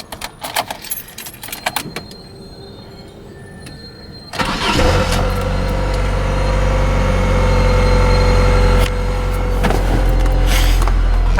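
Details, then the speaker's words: 1994 Saturn SL2, bought for $800, started after a minor fender bender: brief crank, catches at once and settles into a smooth steady idle; runs absolutely fine, with no warning lights except brake and lap belt. "So anyway, go ahead and start it up and I'll show you. She runs absolutely fine."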